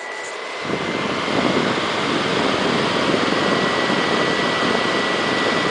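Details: Xbox 360 console: loud, steady airy rush with a faint high whistle throughout; cooling fans spinning hard and noisy.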